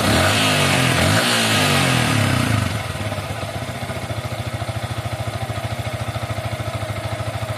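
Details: Yamaha Vixion that won't start or stalls and stumbles, no MIL blink, fuel pressure gauge reading about 34: revs then drops to lumpy idle with uneven pulse about three times a second; fuel pump spray suspected weak, cause unconfirmed.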